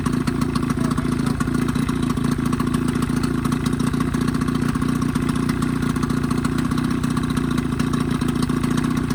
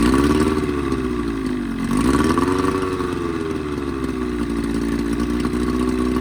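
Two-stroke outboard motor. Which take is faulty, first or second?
second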